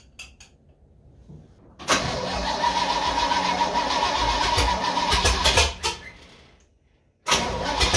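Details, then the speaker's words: Old supercharged truck engine with reworked carburetor, second attempt with choke held open: long steady cranking for several seconds, no start, cause unknown; once running it is sluggish revving, owner suspects rich jetting. "I don't know. Ain't got a clue why it won't start."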